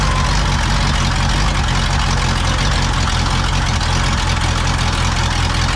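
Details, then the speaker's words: Pontiac V8 on first start after fitting a rebuilt Holley 600 vacuum-secondary carb (new float valve, accelerator pump) in place of the Quadrajet has a loud, loping, stumbling idle; the wrong, high float level floods the carb and timing is badly retarded. "running like crap. That's why. Sometimes those floats just stick. They're new and dry. Now of course it's flooded."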